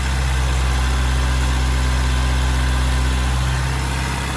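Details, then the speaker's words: 1992 Toyota Pickup after charcoal canister delete: steady even idle sitting noticeably high because one vacuum line is still unconnected, letting in unmetered air. "One more vacuum line I need to hook up somewhere. You hear it running line high."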